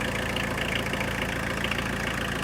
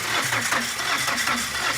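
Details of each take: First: Tata Winger diesel after coolant top-up, warm engine idling: steady, even idle with no knocks, misses or hunting; normal. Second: Tata Winger diesel that will not start after its timing belt broke: starter spins the engine fast, even and very freely with no compression beats; bent valves found, number one cylinder valve bent.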